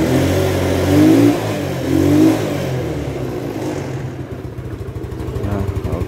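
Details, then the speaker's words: Yamaha Mio scooter that died suddenly while riding, restarted after oil was poured in for compression and the spark plug refitted; it catches, revs in two bursts, then putters evenly. Brief exhaust smoke is expected, and hard revving clears the combustion chamber. "sudah nyala ya gak ada olinya sedikit-sedikit jadi nanti ketika Ho motornya nyala langsung digas pol agar kotoran di ruang bakar hilang semua"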